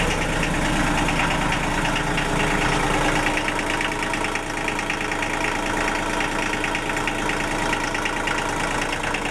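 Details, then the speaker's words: Denyo DCA-15SS-N genset, 1.6 L 3-cylinder Nissan diesel (18 PS at 1500 rpm), over 30 years old, cold just after preheated start following years unused, smoking a little: steady even clatter, no misses or knocks; normal idle. "okay this that's not that for a an engine that hasn't run in years no wasps anymore it's smoking a little it's smoking a little but I guess I won't be too happy if someone wakes me up after years sleeping"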